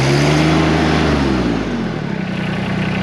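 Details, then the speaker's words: LS Tractors MT122 diesel with LL1100 loader, already warm so no glow plugs needed, started with the throttle all the way on the rabbit by mistake: engine roars up high just after start, then pitch drops and steadies as throttle comes back. "I kind of made a mistake there. You don't want to start it with it all the way on the rabbit. No big deal."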